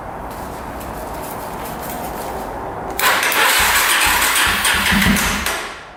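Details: 2005 Yamaha TTR250 single-cylinder after the carburetor was rebuilt with a replacement needle (the old one was too long and blocked fuel): catches within a few seconds and settles into a steady, even run; starts normally.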